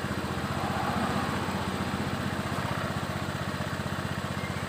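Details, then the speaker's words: Honda Beat eSP scooter engine just started, with a J-Diag M100 Pro scanner connected: ticking over a little high but steady and even; normal cold fast idle that will drop by itself, idle set at 1600 rpm. "Sekarang kita coba hidupkan mesinnya. Putaran mesin masih tinggi karena masih baru hidup."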